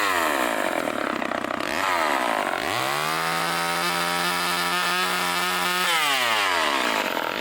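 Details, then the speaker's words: Vintage Craftsman chainsaw with Power Sharp self-sharpening, after new air filter, fuel line, fuel filter and rebuilt carburetor: revs up, bogs evenly into the cut and recovers cleanly; normal running under load. "it's all nice and sharp wow runs good got a new air filter new fuel line new fuel filter rebuilt the carbet trator great it runs actually really good for as old as it is"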